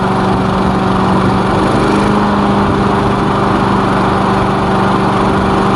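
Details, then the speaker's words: Lawn mower after diagnosis and repair, oil checked, first test run with elevator off: steady, even small-engine drone with no misses, knocks or surging; running smoothly. "as you can see it's running fine let's give it a minute make sure"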